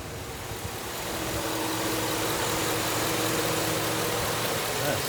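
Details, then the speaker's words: 2007 Suburban, about 213,000 miles, after a Motor Medic motor flush, oil change and Lucas heavy-duty oil stabilizer for loud lifter tick (lifters not collapsed, suspected clogged); warm idle is smooth and even, and the lifter tick is completely gone. "pretty good it sounds a lot better wow i'm actually pretty impressed the lifter tick is completely gone"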